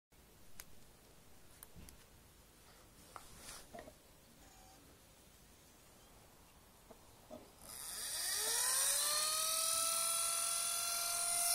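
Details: Six-day-old Lenovo B570 laptop: quiet clicks, then the cooling fan spins up into a loud, high, drill-like whine with a hissing rush, following earlier strange fan noises.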